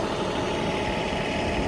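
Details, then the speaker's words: Diesel after a cold-weather no-start, warmed up for an hour; code pointed to the fuel temperature sensor, possibly frozen or gelled fuel: steady low diesel rumble at idle, even with no misses or knocks; normal idle. "well guys as you can hear it is running now been working on it for the last hour getting it warmed up and trying to check the system and everything"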